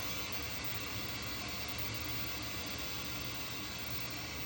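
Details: Pole Position II arcade board during sound-circuit troubleshooting, with chip pins and resistors being probed: a constant loud hiss with no rhythm or pitch change sits over everything; an unwanted noise fault in the audio output.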